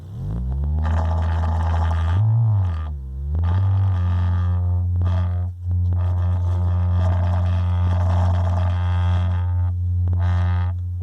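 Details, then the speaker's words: Radio Shack Realistic MC-800 speaker after repair, tested with signal generator near 50 Hz; low tone with buzzy slapping rattle like something smacking the back of the cone, something rattling inside; loose baffle. "is that how very interesting what is that it's almost like something smacking the back of the cone"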